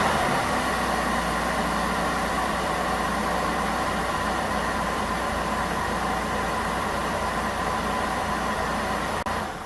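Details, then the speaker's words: 2001 Ford Escape 3.0 V6 Duratec after idle air control valve replacement for intermittent rough idle: even, steady idle hum with no hunting or stumbling, holding a smooth settled speed; idle now normal. "There we go, guys. Problem solved. Idle's like it should now."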